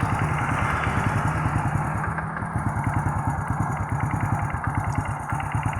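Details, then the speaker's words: Honda Supra Fit motorcycle idling, recorded close up: rough, rapid knocking clatter running steadily under the exhaust beat, from the right-side engine cover. "kali ini kita ada kedatangan Supra Fit yang dimana keluhannya suara ngelotok di bagian bab samping kanan mesin suaranya seperti apa kita coba dekatkan dulu"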